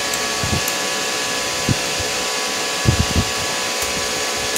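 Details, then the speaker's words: IGBT inverter welding machine after PCB repair, tested with a safety bulb on AC input, output set to minimum current of about 10–20 A: steady frying hiss with soft pops; arc strikes immediately and runs normally. "langsung nyala ya ini seperti ini di amper kecil ini"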